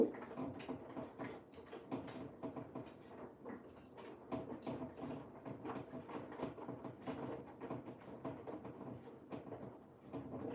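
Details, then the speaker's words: Front-loading washer on cottons 60 program, mid-cycle while heating around 40°: irregular wooden knocks and rattles, several a second, from the machine bumping the adjacent cabinet, not the machine itself; needs moving slightly. "Apologies if you can hear that knocking. It is not the machine. It's the cabinet next to the machine needs to I do need to adjust it slightly."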